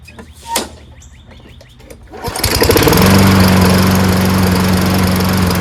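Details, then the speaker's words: Toro Recycler 22" mower with a Tecumseh engine, left 2 years with fuel in it, in for a carburettor clean: after a few pull-starts it settles into a steady, even drone at higher rpm. Runs normally. "there that's sounds much better now that the RPMs are higher"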